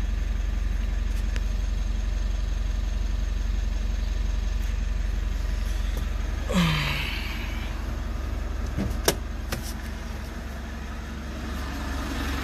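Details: 3rd-gen Mitsubishi Montero/Pajero Sport diesel started after about two months sitting in quarantine; battery reads 14.1, key fob battery low. Steady diesel clatter at an even idle, a door closing partway, no misfire or knock: normal idle.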